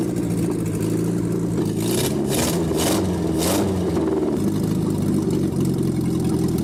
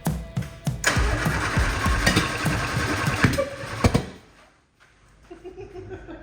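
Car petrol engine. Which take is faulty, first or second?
second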